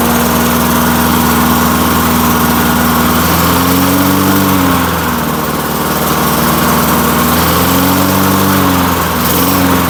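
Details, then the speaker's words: 1990s Lawn Boy Silver Series walk-behind mower, parked 15 years and now repaired, single-cylinder: a steady buzzing note with only slight speed hunting and no misses. It starts and runs surprisingly nicely; normal running. "all right I just can't believe this thing starts up and runs as nice as it does"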